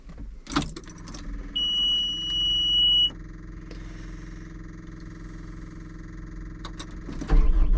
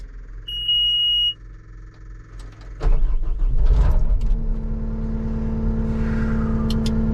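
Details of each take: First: Cat 259D machine idling; high alarm tone for about a second and a half, drive cuts out the moment it goes forward (reverse, left, right work). Code 2476-3: left joystick position sensor above normal; fixed by replacing joystick base. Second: Cat 259D loader after replacing the left joystick base (code 2476-3, left joystick position sensor above normal; would not go forward): chime, then the engine starts and runs steady and even. Fault fixed.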